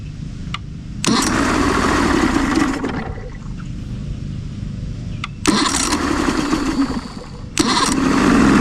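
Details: Johnson two-stroke outboard fires promptly on the key several times into a steady buzz with short throttle blips; starting after Deoxit cleaning, owner suspects corrosion on a battery cable was the cause.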